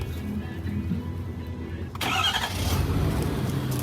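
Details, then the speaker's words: Ford 6.7 Powerstroke diesel truck after an oil and fuel filter service, with the fuel system reprimed and bled: it catches quickly and settles into a steady, even diesel idle with no stumbling; a healthy start with no leaks. "which we bled the fuel system properly because it fired right up."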